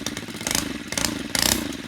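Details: Stihl gas-powered two-stroke string trimmer restarted warm; a buzzy two-stroke note with quick rev bursts and clean pickup, running normally.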